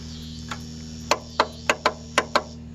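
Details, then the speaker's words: Encore Fuzion mower with Kawasaki FR600V, ran the day before and turned over very slowly, battery charged and solenoid tested good: turning key gives six sharp clicks over a steady hum, no cranking; failed starter motor. "the issue was I had this mower running yesterday and now when you turn the solenoid it just clicks"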